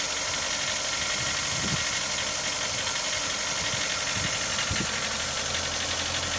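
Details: Mitsubishi Lancer 9 1.6 engine warm idle: light, uneven knocking under heavy hiss, appearing once hot; cold it had no knocks, only slight shaking; cause not identified.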